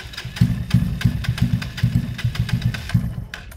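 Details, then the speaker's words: Kawasaki KSR/GRS 125 after cleaning the blocked pilot and main jets; the carb still overflowed fuel before starting. Lumpy, uneven pops at a stumbling idle, same rough running as before; the faulty carburettor needs replacing. "that's it there's no point messing that carb looks fine uh it's gone straight back to how it was before on that carb"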